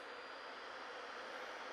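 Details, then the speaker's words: Chuwi CoreBook X Pro laptop under OCCT load test, CPU about 66 °C: quiet steady airy rush with thin high whistle; cooling fan whistling under load, cause unclear, fan speed not reported. "запущено у нас occt тест в нагрузке прод с греется до 66 градусо там плюс-минус до 6 се и ноутбук система охлаждения ноутбука из сдаёт вот Такой чудесный свист не знаю слышно или"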